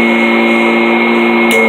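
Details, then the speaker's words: Kirby G10 Sentria upright vacuum from 2011, just out of storage with a freshly replaced belt: steady high motor whine with an even fan tone, no rattle, slap or speed wander; healthy, a little louder than older Kirbys. "Sounds healthy. It does run a little louder than the older ones do, but that's all right."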